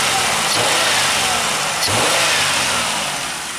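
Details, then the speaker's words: 1995 Pontiac Grand Prix SE V6, 86,000 miles: two quick clean revs settling back, no knocking, ticking or misfire; engine sounds healthy. "sounds pretty good only 86 000 miles on this engine man i love it"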